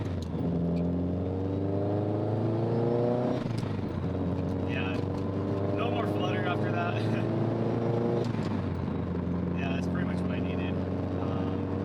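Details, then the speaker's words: GM6/GC8 Subaru 2.5RS on speed density, Tial blow-off valve after swapping a too-stiff 10 lb spring for a lighter one that stops turbo flutter: engine pulls through the gears, then a short clean hiss at each lift-off, no flutter; BOV venting properly. "no that sounds like a well-functioning tile for sure"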